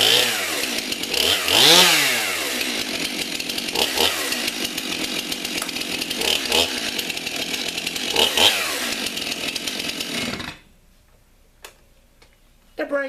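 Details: Stihl MS 291 Farm Boss chainsaw, already warmed up, with a freshly sharpened chain: revs up and down in strong, clean bursts, then shuts off. Crisp throttle response, healthy saw.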